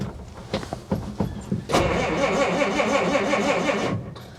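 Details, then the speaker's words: Old Willys, cold start with no working choke cable so choke held by hand: uneven cranking bursts, catches and runs rough for two seconds, then fades and stalls when the choke is released too soon. "it's an old truck it's got to warm up a little bit you keep letting off the choke so quick"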